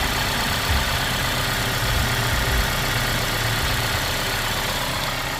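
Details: 2016 Kia Forte5 2.0L after replacing the leaking oil pressure sensor that lit the oil light at idle: smooth, even idle with a steady low hum and no knocks, ticks or misses, and the oil light is off; normal idle.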